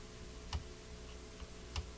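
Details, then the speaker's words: Northern Electric Model 8508 "Midge" five-tube radio, on-off switch: two dull soft clicks with a faint electrical hum behind; the switch thuds instead of snapping, likely the fault, with oily goo found inside it. "It's kind of a thud. So there's a good chance the problem is the switch."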